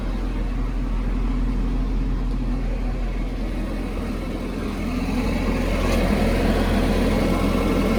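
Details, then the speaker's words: 1992 Nissan 240SX S13 engine, started after throttle body and MAF cleaning and a new air filter, basically cold, idling at 1400 rpm; steady, even low rumble with no misses, knocks or surging, normal cold fast idle expected to drop when warm. "We're sitting at 1400 RPMs. I think that's normal. It's basically cold."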